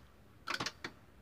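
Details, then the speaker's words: Philips FW-M570 stereo: the red LED lights, and it tries to power on but keeps shutting off, with a few quick, sharp relay clicks as it drops out. The transistor was ruled out; a weak 5 V standby supply is the cause. "vou ligar ele pra ver e mostrar que o som continua desligando mesmo transitou"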